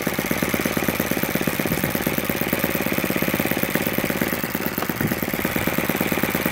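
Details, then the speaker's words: Supercharged YS FZ 63S four-stroke glow engine after a rebuild with a replaced throttle barrel seal, running an APC 12x8 prop, OS F plug and Omega 15% fuel, started at about 10% throttle. A fast, even popping beat holds steady with no stumbling, with about 2,220 rpm recorded at low. Normal idle. "attach the grill driver and start there we go all right oh she's idling"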